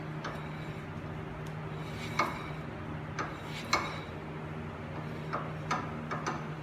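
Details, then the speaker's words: Nissan 350Z front hub after wheel bearing replacement, spun with no wheel fitted; spins freely, light irregular metallic clinks from the loose, untightened rotor, bearing smooth; normal hub rotation. "that noise is all right it's the rotor because it's not tightened down there's no wheel on it so it's just loose but it spins freely"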